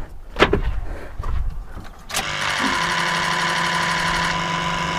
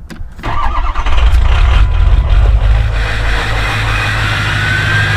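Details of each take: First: Ford 6.0 Powerstroke diesel (2003–07 truck), key-on injector solenoid buzz: some handling clatter, then a steady, even electric buzz with low hum, no skips or delays; healthy injectors. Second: Ford 6.0 Powerstroke diesel, cold start after glow plug cycling, with injectors known to be failing: cranks, catches and settles into a rough idle, missing badly with a brief stumble and skip early on, which is typical of bad injectors.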